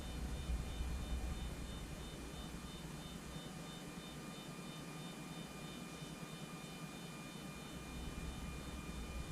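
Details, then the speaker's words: Anycubic Photon Zero resin printer Z-axis after flipping the leadscrew nut: steady motor hum moving up and down with no squeal even when pushed, where before it squealed badly; normal quiet Z-axis travel. "Back up. And back down. Even pushing on it, it doesn't squeal anymore. If you pushed on it before, it would squeal like crazy."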